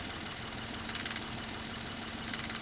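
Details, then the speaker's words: 2012 Ford F150 3.5L EcoBoost with low power, rough idle and codes P0087, P0174 and P053F: fast, light, sharp metallic clattering over the idle from a failing high-pressure fuel pump. The rail pressure sensor is also suspected. "can hear that clattering that's a high-pressure pump"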